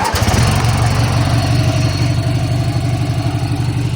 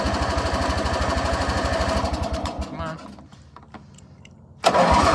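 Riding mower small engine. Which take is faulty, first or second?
second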